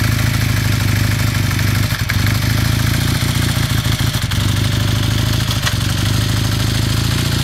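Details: 1981 KZ440 twin warming up at idle with a rapid metallic knocking clatter that tracks engine speed. Cause not yet identified.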